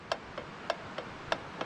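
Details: Bicycle, tugging on the crank arm: sharp dry clicks about three a second, alternating loud and soft, seemingly from the steering head; the cause was the lower headset race, and after the fix the bike is silent.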